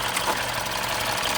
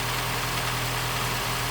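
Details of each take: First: 2015 Mini Cooper S Copart rebuild, running after a new belt was fitted and the induction hose reconnected: even, fast idle with a light, regular valvetrain patter and no stumbling; running smoothly. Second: 2015 Mini Cooper S petrol engine, first proper start-up after rebuild: steady hum but revs hunt from 1,000 down to about 750–800; air getting in because the induction hose was not connected, a vacuum leak.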